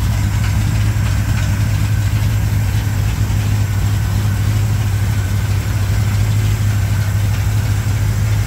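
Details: 1987 Chevrolet K10 4x4 truck, first start after blown head gasket replacement, warming up: deep, even V8 idle burble with steady pulses, no ticking or misfire; normal smooth, healthy idle.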